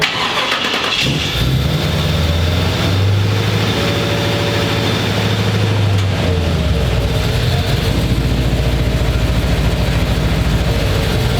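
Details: 1968 Chevy C10 shop truck after swap to a Chevrolet Performance 350 crate V8 (333 hp), start with coolant filled: cranks, catches after a second, rumbles through blips, settles into steady deep idle; starts and runs fine.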